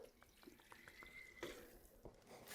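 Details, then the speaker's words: King 2.5" three-tube bypass shock during rebuild, bleeding at only 10 psi by cycling the shaft fast to move the bypass adjusters; soft wet gurgles and bubbly pops with each stroke as trapped air comes out of the oil. "pull it back up you can hear a decent amount of the airs coming out just pressurize it fully"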